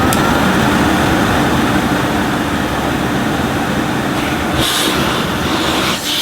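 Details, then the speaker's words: 1980s Hoover Sensotronic System 1 S3126 cylinder vacuum, single-speed 900 W motor, switched on: steady loud rushing whir with an even high tone, no rattles or scraping; motor runs smoothly and sounds healthy. "now that sounds very sweet that does sound fair"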